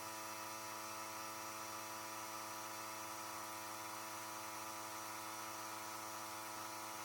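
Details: Compressor blowing air through an unheated Panoramic RV's water lines during winterization, after pressure dropped as the system drained; steady motor buzz at constant pitch, no stutter or labouring, normal running while the side shower is opened.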